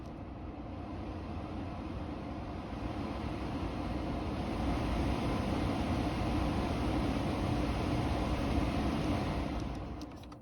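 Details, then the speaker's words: Toyota Tundra AJT trim, car on, after the HVAC climate control knob fix: blower turns on from off with a steady airy rush building in volume over several seconds, no rattle or squeal. The fan runs normally; the knob is fixed. "You can see it turns on. Hopefully you can hear it getting louder."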